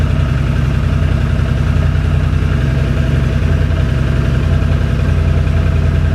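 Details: 2006 Can-Am Outlander Max 500 ATV running after a bad battery (no ECM communication) was replaced with a new 12 V AGM battery: steady low thrum at idle, even beat around three and a half per second, nothing knocking or missing; normal idle.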